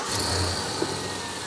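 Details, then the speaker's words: Chevy Avalanche V8 idling after cam sensor work. Smooth, even idle with no ticking, only a faint belt chirp. The cam sensor signal no longer drops out. "So, now we're not making any noise. It's quiet."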